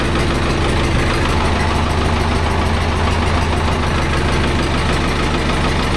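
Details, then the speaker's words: Vintage David Brown 990 diesel tractor, abandoned 20+ years after tipping over while running, now revived: steady, even diesel chug with deep rumble, no knocks or misses; running pretty sweet, engine seems in good condition. "That's running pretty sweet now."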